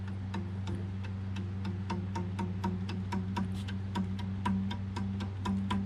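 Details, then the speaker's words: Creality Ender 3 Pro belt after fitting new X/Y belt tensioner kit: steady plucks about three a second, low twangy note rising in pitch as tension is increased; belt ends very tight, well tensioned starting point. "You hear the pitch going up the tighter I make it. So that's very tight. It's not ridiculous, but I think that's a good starting point."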